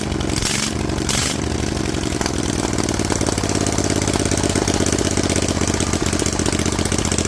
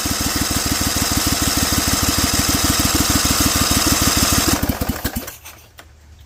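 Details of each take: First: Rebuilt Vanguard 16HP with a 23HP carb, open air filter and header, restarted with the loose spring reattached: catches after a few rough coughs, then settles to a steady, even idle with no knocks or misses. Normal idle. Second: Rebuilt Vanguard 16HP V-twin with a 23HP carb, cold on choke at 66°F and 100% humidity, open air filter and header letting in too much air: fast, rough, loud popping at about three beats a second, then it stumbles and dies.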